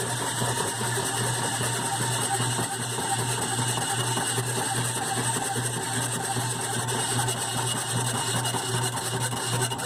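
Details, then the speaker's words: GE washer model WDRR2500K3WW: loud, harsh rhythmic grinding and ratcheting pulsing about twice a second right after filling as agitation starts, sometimes at the second agitation, usually clearing after the first few minutes; cause undiagnosed. "l do it at the second agitation sometimes it doesn't but it's a super loud noise"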